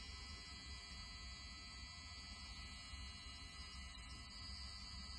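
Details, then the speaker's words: Brand new Honeywell 3-way motorised heating zone valve buzzing constantly with a low hum beneath, steady and unchanging; failed within 24 hours, replaced. "so that was the video that i got from my mate about this valve as you could hear it was buzzing away"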